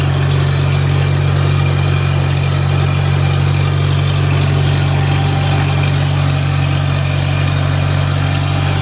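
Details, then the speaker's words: Farmall Super A tractor, first run after ground and wire repairs restored spark, warming up: regular low thump about three beats a second, holding even throughout; healthy normal idle. "I'm just tickled to death this thing's running you don't know how bad it was for me to shut that thing of"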